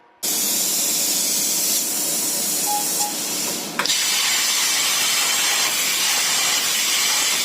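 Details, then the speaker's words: Compressed air supply for plasma cutter: sudden loud steady high hiss with no rhythm after an O-ring popped out of the air dryer; compressed air leak. "Any idea what that noise is? Just popped an O-ring out of the air dryer."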